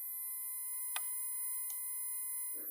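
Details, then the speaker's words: Well-working rechargeable fridge ozone generator switched on: a thin, steady high whistle or slight whine around 1 kHz with overtones, producing a fairly strong ozone smell. Normal ozone generator whine. "So the idea is that when you turn this on, a little blue light lights and it starts producing ozone. You can hear the ozone generator making a whistling noise, a slight"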